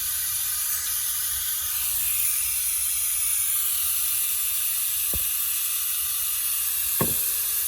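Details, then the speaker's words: AEA Challenger .30 caliber bullpup air rifle drained through the loosened air gauge before a valve pin change, about 10 minutes to empty: steady high hiss bleeding off evenly with no sputter. Normal air release. "Let's give this a few minutes. Give it as much time as it needs. You know what I'm saying? Let's get this thing drained out safely."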